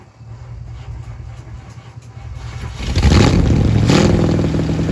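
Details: 1967 Mercury Park Lane 410 Ford FE V8, cold start attempt on jumper cables; sluggish dragging crank that never catches, battery deader than thought, timing needs adjusting, possibly inconsistent spark.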